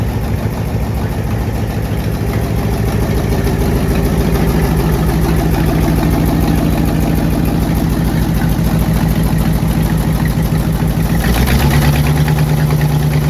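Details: AMC 327 V8 in a Jeep before exhaust manifold gasket replacement: rough idle with sharp fast puffing tick in time with firing, a badly leaking exhaust manifold with soot-marked gaps at the manifolds.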